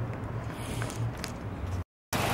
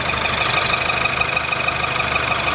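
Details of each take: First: Ford Fusion idling after repair of an engine noise involving the balance shaft: low, smooth, even hum with no knocks or ticks; engine idles cleanly and sounds healthy. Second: Ford Fusion engine at idle after assembly: quick, even tapping about three beats per second over loud mechanical clatter; internal noise, cause unknown, cylinder head to be removed.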